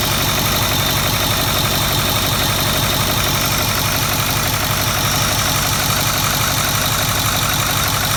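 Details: 2008 Ford 6.4L Powerstroke diesel idling with the valve cover off and fuel cooler connected, started without glow plugs. A steady, fairly regular light tapping about three per second over the clatter, investigated in the valve train. Engine tapping at idle, source unknown.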